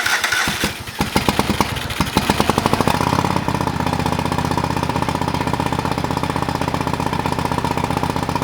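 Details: Old lawn mower being revived, first start after carburetor rebuilt and fuel added to the bowl: several seconds of uneven cranking and sputtering before it catches and runs steadily; slow to fire, cause unclear.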